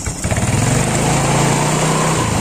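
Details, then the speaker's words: Yamaha Pino automatic scooter that ran but would not move when throttled, repaired with a usable replacement drive belt and rusty crankcase cleaned; engine revs with a smooth, even rising buzz, no slipping flutter. Normal revving. "sekarang kita tes kita coba hidupkan sekarang kita tes coba di gas"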